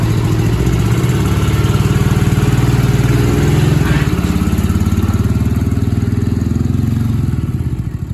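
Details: Barn-find Honda SilverWing GL500 that sat outdoors for decades, revived and cleaned up with a new key and valve stem: a steady, low, even putter at idle of about four pulses per second, with no knocks or misses. Normal running.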